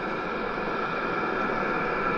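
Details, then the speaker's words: Diesel heater with a battery-backup mod on AC power, after about 14 minutes running, turned up to 7.2 (full tilt) and at full temperature with very hot exhaust. Smooth even rushing hum with faint steady whistle, no surging or popping: normal running. "it's at full temperature and it's putting very very nice heat of course the exhaust is very hot this is really nice coming out of here"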